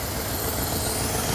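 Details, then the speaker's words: Lexus LS400 engine after intake work and ECU reinstall: steady, even idle, smooth hum, no knocks, ticks or misses, no check engine light; normal idle. "Now the car does turn on. No misfire, no check engine light. And it sounds healthy."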